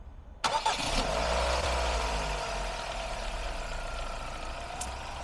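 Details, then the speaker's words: Ford Focus after three water-shorted ignition coils were replaced: engine cranks, catches quickly and settles into an even, steady idle with no shake, all cylinders now working; normal idle. "Take a look, it's much more stable now. It's not shaking at all."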